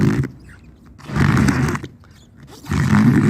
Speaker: fazer esse barulho horrível que vocês estão vendo aqui no vidro isso acontece meu amigo basicamente porque o limpador ele tem que ficar reto no vidro dessa maneira aqui pessoal ele não pode ficar nem para cima e nem para baixo